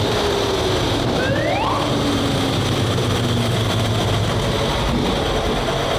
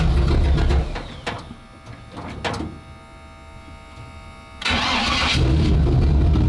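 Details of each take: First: WWII tank radial petrol engine, turned over 55 turns by hand first, started on both magnetos with starter and booster coil: loud, steady, rough roar with a distinctive note, running evenly after catching; normal healthy running. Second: Starboard 350 Chev small block V8 in a twin-engine tank, port engine shut off: loud burble dropping to an uneven, lumpy run then picking back up; rougher than the port engine, throttle synchronization suspected out a bit, judged good enough to run.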